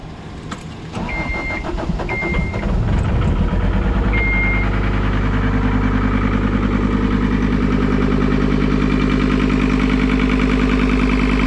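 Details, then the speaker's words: John Deere 326D skid steer, just restarted after broken-crank engine repair, little coolant in it yet: engine catches then settles into an even, steady diesel idle with regular firing pulses, no knocks, no codes, sounds good. "i got no coolant in it because i'm gonna put that in now that it's running sounds good though"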